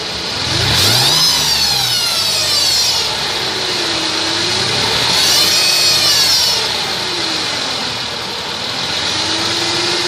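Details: 2002 Mercedes ML320, whine from under the car: a high whine that climbs and falls in pitch as the engine is revved and dropped back to idle; engine-speed-related whine, cause unclear.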